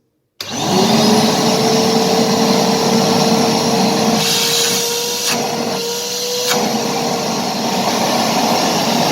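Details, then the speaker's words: Karcher WD 2 shop vacuum, previously roaring loudly, runs with a steady, even whine and airflow hiss after motor bearing replacement and turbine cleaning. There is no rattle or grinding, and the turbine cleaning fixed the noise. "таки да чистка турбины нам дала положительный результат"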